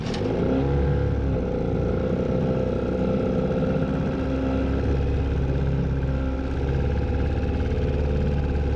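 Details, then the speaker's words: 1958 Johnson Sea Horse 3 hp two-stroke outboard, about 60 years old, run in a water test tank after earlier trouble and a restart: even, fast rattly two-stroke buzz with no misses or surging; running fine. Owner thinks it may need a carburetor kit. "And it seemed to run fine after that."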